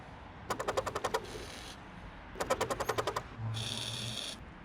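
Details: SUV rear wiper running before replacement, with the blade rarely used, sun-aged and bent to one side. Each sweep gives a rapid run of about eight sharp clacks, then a hissing drag, the deformed blade chattering. Fix: replace the blade.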